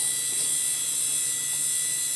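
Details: Dell Precision 340, 2 GHz Pentium 4 era, running: an old ball-bearing hard drive gives a constant shrill high-pitched whine with a thin buzz underneath that never varies; worn hard drive bearings.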